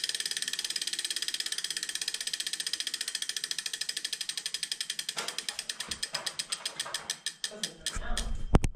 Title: Neo Grinding Noise